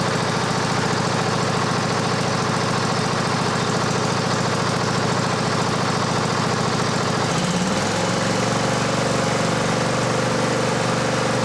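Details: Cub Cadet LT1550 riding mower, formerly no-start, with a brand-new carburetor running lean: engine runs rough and lumpy, then picks up to a steadier, higher hum as it cleans out and smooths.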